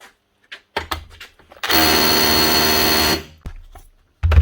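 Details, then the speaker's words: Makita HR242 rotary hammer after a tool-holder rebuild (sleeve, C-clip, retaining ring, rubber cap): a hard, even hammering rattle for about 1.5 seconds, smooth and steady. The hammer action is working normally. "Yeah, hammering fine. That's it."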